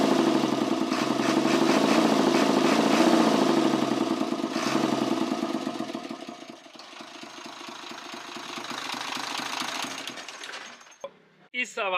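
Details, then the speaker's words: Truck six-cylinder 24-valve diesel at idle with the intake pipe opened: steady chuk-chuk puffing about three and a half times a second from the intake, suggesting compression leaking back past the valves; cause suspected, not confirmed. "ब यहां से आपने आवाज सुननी है गौर से यहां से आवाज वाजे चुक चुक की सुनाई दे रही"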